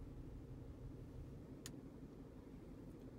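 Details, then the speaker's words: 2010 Ford Edge 3.5L V6 AWD, 177,000 miles, nearly out of oil, flashing check engine light, code P0304: low, uneven idle rumble stumbling irregularly from a dead cylinder 4 misfire. "so I can fire it up oh yeah she's really not happy [Music] I don't know if that'll pick up on uh on the camera the sound of it but it is very much not happy"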